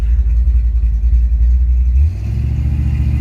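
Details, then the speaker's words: 1957 Chevrolet Bel Air convertible with air ride, just started and put in gear: deep lumpy choppy rumble smoothing slightly in gear; healthy cammed V8 idle. "can hear it. Beautiful, beautiful sound. Sounds absolutely great."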